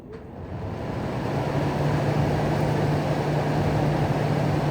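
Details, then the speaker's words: 2009 GE AEW05LMS2 5200 BTU window air conditioner, condenser fan on high, single motor driving both fans; steady even airflow rush with low hum, no rubbing, rattling or speed wobble; normal condenser fan operation. "There's a condenser running on high. Bring you back here. There's the condenser."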